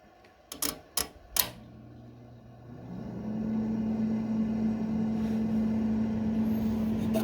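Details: Kenmore refrigerator after defrost timer replacement: a few timer clicks as it rotates out of defrost, then the compressor starts with a steady, even low hum; cooling cycle restarted normally.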